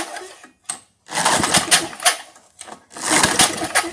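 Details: 1978 Tecumseh LAV50 5HP Craftsman-branded small engine, old engine on choke: repeated pull-cord bursts with firm compression thumps but no firing; no-start because a sheared flywheel key throws off the timing.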